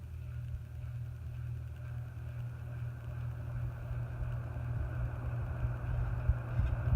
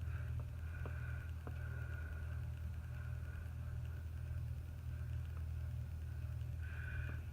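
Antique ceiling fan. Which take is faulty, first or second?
first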